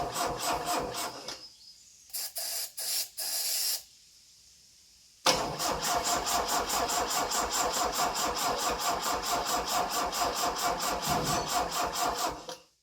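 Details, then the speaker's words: Saab Sonett III with its original mechanical fuel pump, fuel bowl and pump primed, old brown gas, electrics believed in order: the starter chugs evenly at about two turns a second but the engine never catches, so it cranks but won't start. "I know it doesn't look like it but I had the bowl and the pump primed and I think the electrical system was all in order so it if it was gonna go it should have gone it doesn't go for a reason"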